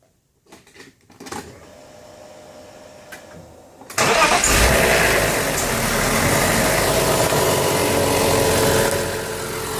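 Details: BMW Z3M/M3 S50B32 engine fires and settles to low idle with dry metallic rattle at low rpm after gentle revving; classic VANOS rattle caused by failed seals, blocked filters, worn bearings and cam gears.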